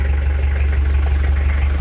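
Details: TD27 diesel after its leaking Bosch VE injection pump was repaired, started on a cold day after glow plugs. It starts at once into a loud, steady diesel clatter at an even idle with no misses or hunting; running normally.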